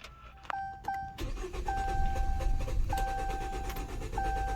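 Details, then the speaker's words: 2015 Chrysler 200 with intermittent no-start, push-button start: engine cranks with a rough, uneven churn but won't catch while a dash chime repeats; codes for intake air sensor, two-cylinder misfire and knock sensor, traced to a chewed intake air sensor wire. "Oh, you hear it struggling? What was that? Wow. Could you guys hear that? So this is push start. That wasn't me turning the key, trying to start it like that over and over. I pushed the button and it kept trying to start like that."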